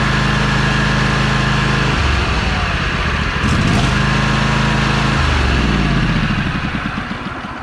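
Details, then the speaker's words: 2004 John Deere L120 with a 20 HP Briggs & Stratton V-twin, after replacing the failed starter: firm, even cranking, then the engine catches and runs with a steady beat. The starter engages properly. "all right that sounds healthy let's try it one more time here"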